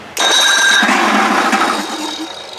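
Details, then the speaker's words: Evinrude 55 hp outboard after starter repair (previously whined high and squealed), cranked without fuel connected: strong, steady whir turning it over evenly with no squeal or grinding; starter sounds good. "just a quick test i don't have gas hooked up or anything to see what it sounds like bing bang boom all baby here we go starter sounds good"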